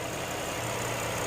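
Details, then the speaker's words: 2017 Hyundai Grandeur IG LPG, one owner, no accidents or leaks, microphone about 15 cm from the engine with hood open: steady, even, quiet idle with smooth low drone, no misfire or knock; normal idle. "카메라랑 엔진의 거리는 한 15cm 정도 되는데 굉장히 조용하죠네 엔진 부조연상 전혀 없고요 엔진 소리가 고르게 나고 있다는 점 말씀을 드릴 수가 있습니다네"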